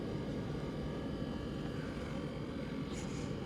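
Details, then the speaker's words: Propane gas heater on 12 V DC converted from 120 V AC, after blown fuses replaced; steady, even whoosh of blower air, no knocks, rattles or squeals, warming up shortly after: normal heater blower operation. "probably just blowing yeah I don't know it's blowing"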